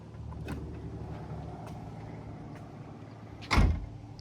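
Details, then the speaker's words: 2015 BMW 4 Series Gran Coupe after replacing the trunk latch assembly (51247840617) since the electronic latching had stopped working: low hum then one short firm pull and thunk as lid cinches shut; closes cleanly, better than before. "so it's working let's try one more time still sounds better than before here we go"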